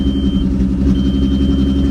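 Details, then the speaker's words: Vehicle at Copart, 206,915 miles, sat a couple of years, catalytic converter stolen: loud, deep, raspy idle rumble with a steady thrum and no cat muffling. "yeah somebody took the cat that's a shame"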